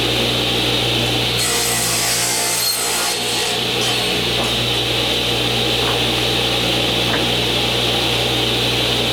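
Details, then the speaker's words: New Original Saw model 3512 radial arm saw (old DeWalt design), first cut after installation: steady motor drone holds pitch while the blade rasps through wood, no bogging down; normal running under load. "Sounds good. Doesn't seem to want to bog down at all."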